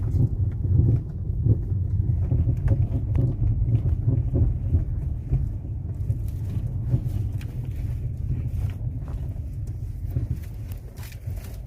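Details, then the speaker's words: Ford Fusion driving straight over rough, potholed and smoother streets: loud dull, irregular "ploc ploc" clunks from the suspension through the road rumble; cause not yet confirmed. "Beleza galera? Então é esse barulho que tá fazendo no carro. Muito barulho mesmo, né?"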